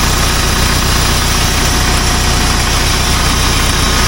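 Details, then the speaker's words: Backhoe diesel at idle before annual servicing: dense scratchy grinding and thin whine over rough idle, worse with throttle; felt on the transmission suction line, likely pump drawing air (cavitation); transmission filter to be serviced. "do you guys hear that like grining noise listen as I give it some water it's almost like a whining scratching noise"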